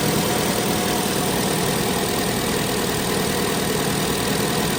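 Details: 2018 Chevy Sonic 1.8 L after replacing the plastic cam cover (PCV/vacuum leak fix for rough idle): steady, even idle with no stumble, hiss or misfire rhythm; engine now idling smoothly and healthy.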